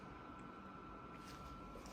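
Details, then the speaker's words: Dyson Purifier Hot+Cool Formaldehyde HP09 at fan speed 3: steady, loud, piercing high-pitched motor whine over soft air rush, louder with higher speed but masked by airflow; motor whine needing repair. "Sadly, the motor itself has this very annoying, loud whine. And so even at a low speed, it sort of makes it unusable or unbearable, especially in a small apartment, which is really a"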